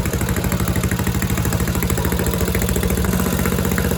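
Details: Tecumseh Snow King engine on a snowblower stored all summer with fuel and oil drained, warmed up: steady single-cylinder putter, about three pulses a second, even under light throttle; normal running.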